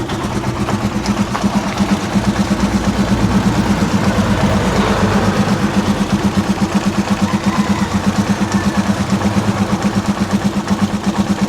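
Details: Rusi Chariot 175 motorcycle, cold engine just started: steady, even thumping idle at a moderate speed, neither high nor low, with no ticks or knocks. A normal, healthy idle.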